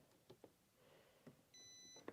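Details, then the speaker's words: 2019 Polaris Sportsman 1000 XP with overheating complaint, multimeter on continuity checking fuses: clean steady high beep for about half a second on contact; continuity, fuse good. "Just going to run through, check these fuses real quick. I have this set on sound, so if we make connection,"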